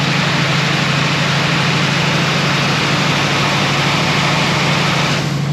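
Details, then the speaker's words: 1966 Ford F100 with 1971 302 V8, cold on high idle after harmonic balancer replacement: light, fairly regular clacking over the low drone, worse at low rpm; still present, flex plate suspected, not confirmed. "Nope, still making the clacky noise."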